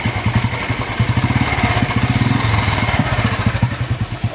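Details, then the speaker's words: 2008 Royal Enfield Bullet 350 (old model, gears on the right side), self-started and idling: deep, even thump at roughly nine beats a second, no rattles; the owner says there is no engine noise; normal idle. "Engine में बिल्कुल भी sound नहीं हैर से आवाज आ रही है इस model में यही खासियत"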